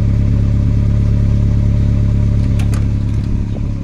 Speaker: olha o barulho do escap tá furado